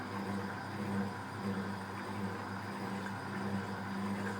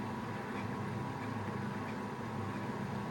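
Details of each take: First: Fisher & Paykel Smart Drive washer, after lid locks: steady low motor hum with soft spray hiss, no knocks or grinding; normal, quieter spray rinse spin. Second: Fisher & Paykel Smart Drive washer during spin: constant rough rumbling roar with no clean hum underneath; this machine has faulty drum bearings making the spin noisier.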